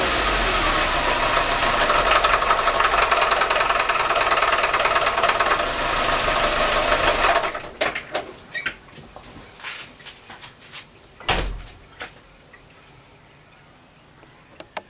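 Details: VAZ 2101 petrol engine running with a sharp, regular metallic knock, roughly four a second over the idle, fading out at shutdown; source undetermined: engine knock.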